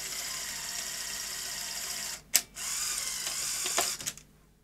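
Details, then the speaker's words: Sony SL-HF100 Beta HiFi video recorder after repair of the loading gear mechanism; light motor whirr, sharp clunk and short rattle as the cassette ejects; eject working normally. "well Everyone likes a nice beta Hi-Fi video recorder so I'm glad that's been brought back to life"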